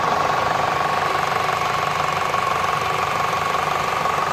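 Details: Citroen C5 1.6 VTi at steady idle, a fast, light, even tick roughly three per second; valvetrain-type tick suspected, cause unconfirmed.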